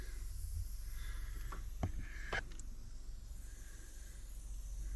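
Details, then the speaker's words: Outdoor unit of a newer HVAC system with power disconnect off: faint steady high hiss over low rumble, refrigerant leaking, audible without an ultrasonic detector, explaining oil all over the unit. "we have a we have a hisser which explains why this got oil all over it"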